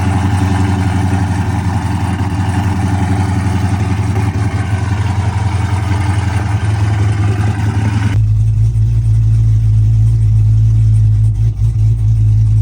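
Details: Dodge Charger SRT V8 revving rough and uneven, then a lumpy, stumbling idle; severe engine misfire, cause not evident.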